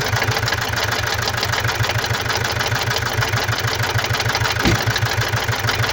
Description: Das Geräusch, das du im Video hörst, wird durch defekte Injektoren und einen defekten Luftmassenmesser verursacht.